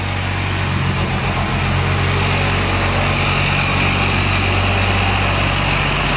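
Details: 12-valve Cummins diesel swapped into a Dodge B3500 Ram van, first start on temporary 2x4 motor mounts: steady, even idle, smooth low rumble, no knocks or misses; sounds cherry, like a sewing machine, though not charging.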